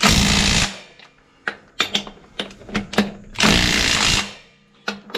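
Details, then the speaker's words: Impact driver on the third, heaviest setting before auto-cutoff, tightening Case IH 75C front wheel lug nuts: several sharp bursts of fast rattling hammer blows with quiet gaps; driving them normally. "this far setting right here this light the furthest one is a setting where when it gets so tight it just cuts off"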